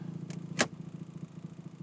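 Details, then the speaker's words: 2007 Toyota Tacoma PreRunner at idle in gear makes a low, steady, fast-pulsing buzz that is absent in neutral and Park but returns in reverse. It is louder while shifting and braking, and persisted after a new exhaust manifold gasket; transmission mount suspected, not confirmed. "okay it's making the noise now it's stopped i don't hear it in neutral i think i've heard it neutral before but i don't hear it now"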